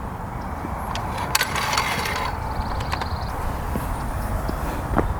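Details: 1997 Yamaha YZ250 two-stroke, oil leaking near the clutch cover, kicked over before repair: a hollow spinning chuff with no catch. The engine turns over but won't start; the seller said it always sounded close to firing but never would.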